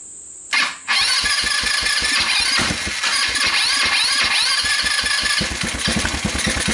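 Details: Rapidity GY6 150cc quad after a PZ27 carburetor swap, running on a hacked pit bike CDI: it catches, then runs uneven with stumbling beats and won't rev to full RPM; maybe slightly better but still bogs, later traced to badly adjusted, too-loose valves.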